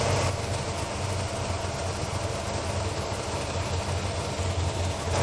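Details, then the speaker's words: 1997 Lexus LX450 with 5.3 LS swap and 6L80, 2800 miles since swap, idling: loud even rush of radiator fans running flat out, check engine light on, because the coolant temperature sensor was left unplugged. "why are the fans running oh you know what I did I unplugged the water Thermo sensor that's why it's all upset why did I do that"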